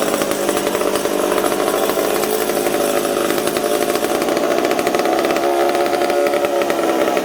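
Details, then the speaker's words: McCulloch Super Pro 70 chainsaw with revs hunting and wandering instead of holding steady; suspected air leak, and the owner suspects the decompression valve is leaking and plans to replace it. "you guys hear how it's kind of all over the place i almost wonder if this peacock's leaking"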